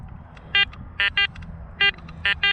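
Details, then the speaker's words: Garrett Apex metal detector, iron separation test with a Jefferson nickel among nails and screws. Six short, clean mid-pitched beeps, mostly in pairs as the coil sweeps, crisp and repeatable: normal nickel target tone. "that's actually coming out really nice"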